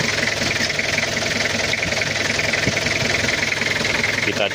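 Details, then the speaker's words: 1997 Toyota Kijang diesel after cylinder head rework for head gasket leak and oil in coolant, timing still not perfectly set: steady idle with a soft, even clatter, no harsh knock or misfire; sounds smooth and healthy. "Alhamdulillah adem suaranya juga kelentingnya empuk enggak terlalu keras juga enggak terlalu kasar alhamdulillah"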